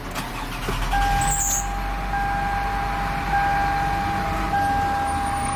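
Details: 2005 Toyota Sienna with intermittent no-start, starter suspected failing: after tapping the starter through a steel pipe, a short crank catches straight into a steady idle, door chime pinging.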